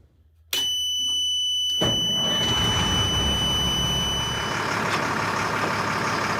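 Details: Military surplus LMTV truck diesel: after a quiet start it catches abruptly and settles into a steady, even idle with no knocks or misses.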